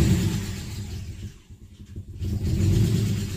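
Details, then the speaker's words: Nissan VQ35DE (G35/350Z) warm start: the engine catches and rumbles, then revs sag hard and nearly die before recovering. Idle also drops low enough to stall when the clutch goes in while stopping in second gear; dirty throttle body suspected. "I Drive say I'm in second gear I'm coming up to stop and I put put the clutch in the idle will drop so low that stalls the car so before I even come to a stop the engine stops"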